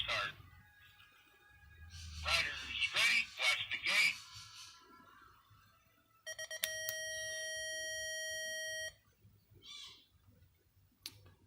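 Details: Arduino UNO-based Rad-Gate start gate under test, speaker driven through a resistor from a 12-volt amplifier board; quiet room, then three quick high beeps and one long steady tone, the normal start cadence.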